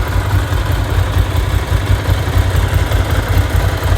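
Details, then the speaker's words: Ducati 750 SS Supersport L-twin: lumpy uneven idle with loose metallic rattle on top; normal dry clutch chatter. "Hopefully you can hear just how nice that sounds. Obviously it's rattling, it's Ducati. That's what they do."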